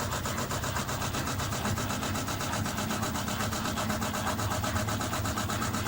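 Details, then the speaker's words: Panasonic NA-FS14G top-loader washer (had wobbling, knocking and cycle restarts; drain valve being replaced): drum spins smoothly with steady hum and even swish about four times a second as clutch engages to limit wobble; normal spin cycle. "it speeds up to a certain point and if it feels that the motions to too much it actually engages the clutch so that it actually releases a bit of the pressure or the the spinning pressure"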